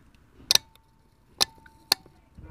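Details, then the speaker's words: Hyundai Tiburon blower motor relay, microphone placed next to it, switched on and off: sharp crisp clicks, four in under three seconds, each clean; relay switching properly, not stuck. "on off on off on off on off so it's like in stock so that is good got a good relay"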